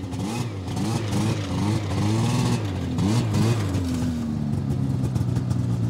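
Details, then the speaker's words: Vintage Cushman after pickup, revving up and down cleanly several times, then settling to a smooth, even idle with no misses or knocks; runs mint, normal. "runs mint"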